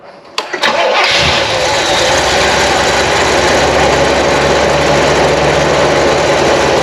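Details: Car that sat and wouldn't start on bad fuel, after draining the tank, refilling with fresh fuel and reassembling a fuel filter: short crank, catches quickly, smooth even idle with no misses or stumbles.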